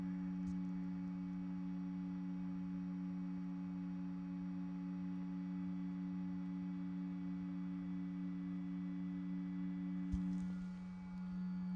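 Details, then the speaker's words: 2025 Chevrolet Silverado 2500HD after a headlight conversion to LED bulbs, close to the warmed-up lights: faint steady constant-pitch hum of the bulbs' built-in cooling fans; normal cooling fan hum. "I'm not sure you guys can hear that, but there's a slight humming coming from these fans inside."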